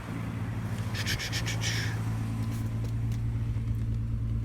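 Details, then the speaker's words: VW Corrado VR6 that sat unrun a long time, warming slowly at about 1200 rpm with plastic wedged at the throttle body to recharge hydraulic lifters: steady, even low hum, no knocks or ticks; warms smoothly. "lifting it does rev your motor a little bit but i haven't run my motor in a while so i'm letting it warm up to speed very slowly"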